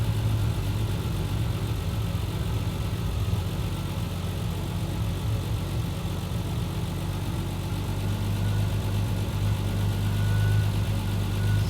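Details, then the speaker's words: Triumph TR6 converted from carbs to Patton Machine TBI fuel injection, warm-up after start: high idle from IAC valve open 64 steps, now closing and RPM dropping; steady even low rumble, no misses or knocks; normal warm-up idle. "so the RPM is so high initially because of the iic valve it's still open now it started dropping"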